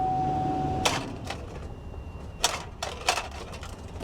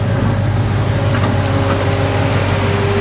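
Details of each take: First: Chevy Avalanche, believed 5.3 V8, dead battery, jump pack connected: a few sharp uneven starter clicks with no cranking; jump pack fully charged, owner suspects a poor ground connection; starter clicking from low battery. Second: Chevy Avalanche (hail damaged) with a V8 thought to be a 5.3, started after a dead 7.9 V battery, alternator now charging 14 V, AC running; smooth even low rumble at idle, no knocks or misses, purring nicely. Check engine light on.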